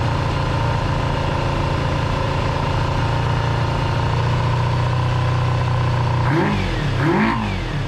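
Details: Kawasaki GPz400R track bike, four-cylinder, carbs, old fuel, first start: lumpy uneven idle with blips rising and falling; owner suspects misfire, possibly HT leads wrong way round on coils; fuel dripping from carb bottom.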